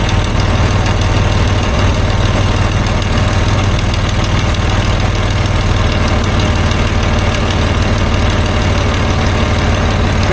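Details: 1989 Dodge W100 engine after exhaust pipe welding, with an exhaust noise near the O2 sensor that owner suspects is a cracked manifold and that quiets once warm: low, steady idle rumble with an even beat and no ticking; normal idle.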